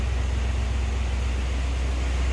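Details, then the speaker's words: 1991 Cadillac Brougham d'Elegance, stock, 29,463 miles, idling, heard from around the back of the car with no smoke. A deep, steady V8 burble with no misses, taps or knocks; normal smooth idle. "Not blowing any smoke. You can hear it just runs like you'd expect. A 91 stock Cadillac Brougham sound."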